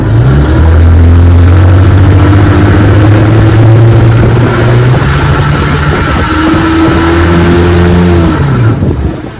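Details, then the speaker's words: 1961 Evinrude 18 hp outboard on a bayou test run: revs climb high and hold without labouring, then sag and pick up again, worsening; slipping propeller hub. "yeah this spot is getting worse and worse I hope I can make it back to the landing"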